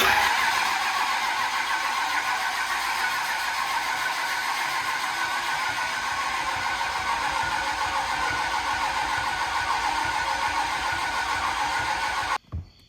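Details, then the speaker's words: 2003 common-rail Cummins swapped into a 1999 Dodge Ram on a standalone harness: the starter spins the diesel about 3.5 turns a second for twelve seconds without catching. The injectors don't seem to be firing; the system is bone dry and the injectors questionable. "doesn't seem like it's telling the injectors to fire doesn't seem like it but remember them it also is bone dry"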